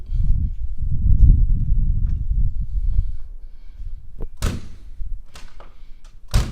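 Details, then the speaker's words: 1970 Mercedes-Benz 280SL pre-purchase inspection: right-side door swings and shuts with a metallic clank as metal catches somewhere instead of a solid thud like the left door; loose or worn latch suspected, not confirmed. "so I can hear it like metal catching somewhere so it's not rock solid like the left side but so you can hear that little Clank noise"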